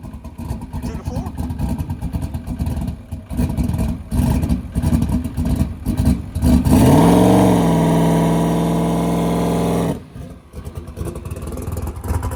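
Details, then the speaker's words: Ford Coyote engine with a 107mm turbo and a lock-up torque converter. A brief held rev drops off with no turbo whistle, so it won't spool; the cause is unconfirmed. "all right so we're going to try again uh it was a little bit lean there so I added a little bit of fuel let's see if it uh spools up a little bit better now"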